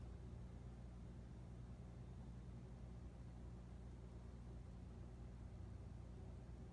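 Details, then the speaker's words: Casablanca Four Seasons 48" K55 reversible ceiling fan, possibly 1981, Slumber Quiet variable control on lowest speed with light on: quiet even low hum with soft airy wash, no knocks or rubbing; normal low-speed running. "Fan, light, fan and light. And this is at the lowest speed on the Slumber Quiet."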